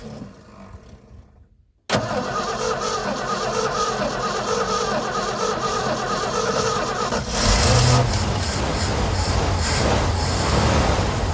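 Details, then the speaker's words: 1980 ramp truck, 351M V8, sitting ~25 years: quiet cranking, catches at about two seconds and runs rough before revving, running only on brake-clean starting fluid; smoky, rings probably stuck from sitting; oil pressure reached 70. "It smokes. So the rings are probably stuck from sitting. And that was running off brake clean, so that's no"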